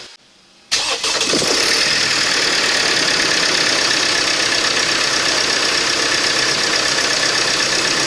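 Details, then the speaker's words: Mercedes Sprinter 2.1L four-cylinder diesel started after coolant temperature sensor replacement to check for leaks: fires quickly, then even idle with steady fast clatter, no stumbles or knocks; runs healthy. "Alright, I'm going to start it up now and make sure there's no leaks."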